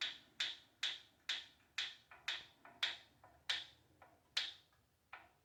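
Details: Proform Power C7L iFit exercise bike: crisp rhythmic ticking, about twice a second, steady with pedalling, source not pinned down. It has always ticked but is getting louder with worsening wheel wobble; bolts are tight and there is no visible rubbing.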